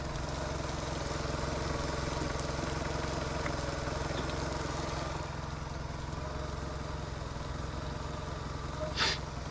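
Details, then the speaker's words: Boat inboard engine after a broken fuel line was replaced and a faulty IAC valve fixed: smooth, even low burble at steady idle without hunting or stalling; normal idle. "This IAC was not doing that. Just let our bucket fill here and fire it up. Should be good to go. All right, here goes nothing. That's it. IAC fixed it. Crazy."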